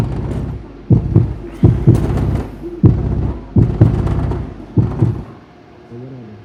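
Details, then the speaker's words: Kicker CVX 15 subwoofer after its rattling voice coil was epoxied with panel bond and the terminals resoldered, tested at low wattage: deep bass notes thump out cleanly with no voice coil rattle or buzzing. "fortunately i don't hear any rattle at all good"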